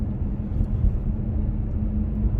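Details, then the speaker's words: Kia Stinger driving over a usual rattle spot after electrical tape was applied to the metal hatch: low road rumble over bumps, no tapping or buzzing from the rear; hatch rattle gone, no body rattle. "all right so right in this area is where i usually get them and i don't hear anything back there wow the answer was seriously some electrical tape on the metal hatch"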